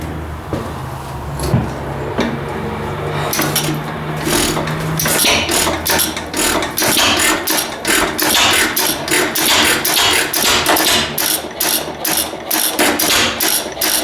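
After some fiddling the old engine catches and settles into sharp, regular popping firing strokes, running on its own.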